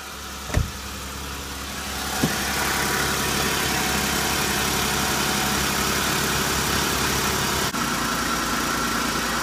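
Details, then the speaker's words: 2014 Jeep Pentastar engine after dealer replaced rocker arms and lifters for ticking: steady warm idle with a faint regular light valvetrain tick about four per second, quieter than before and similar to another 2014 Jeep. "does have a slight tick you really can't even tell much of a difference the guy at Big O Dodge says oh sounds like they're both ticking"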